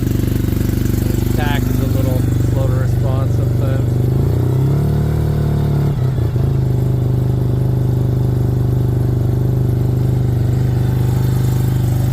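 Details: Suzuki RE5 rotary motorcycle, outdoors after carburetor overhaul and setup: smooth, steady low buzzing idle with no misses or knocks, then a brief blip; normal idle with carburetor set up correctly.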